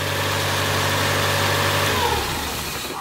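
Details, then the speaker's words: Car just got running: smooth steady idle, even low hum with light ticking judged to be normal valve noise, then winds down; sounds good, healthy idle. "oh then that's just your valves it's normal it sounds good hell yeah"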